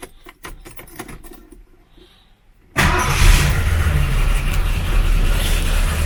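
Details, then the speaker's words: 1977 Mercury Cougar that cranked but wouldn't start (no 12 V at coil, fixed by jiggling key cylinder), heard from inside car: quiet clicks, then catches at once and settles to a steady idle; starts right away, normal start. "now it's not running the best because i don't know how long it's been sitting but it starts right away as you can hear"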